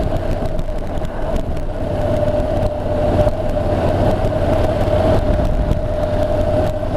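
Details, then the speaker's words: Honda NC750X DCT cruising in town, probably fourth or fifth gear: a steady mid-pitched whine holds over engine and road rumble. Loud, annoying front tyre noise. "you can hear that tire noise at the front it's very loud what's not very loud but it's annoying"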